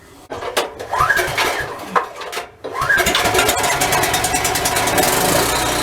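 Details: Husky portable generator, previously stalling after about 5 minutes, with its carburetor removed, cleaned and reassembled, run strapped on a forklift. A few cranking pulls, then it catches and settles into a steady, even run with no surging yet.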